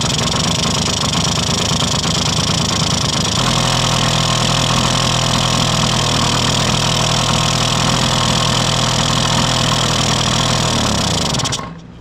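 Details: 1971 Yamaha Mini Enduro two-stroke after carburetor cleaning, first start in decades, checking the oil injection line: fast, even burble at steady idle with no misses or knocks, shutting off cleanly; the oil pump isn't working, so premix. Normal two-stroke idle.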